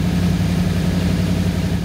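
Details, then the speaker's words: 1985 Ford Bronco V8 revived from unknown condition, after new spark plugs installed, before timing check; deep even burble at brisk idle, smooth regular firing, no stumble; normal idle. "sounds like it's getting better and better idle speed has definitely been getting faster the more changes i've been making sure sounds like a v8 now"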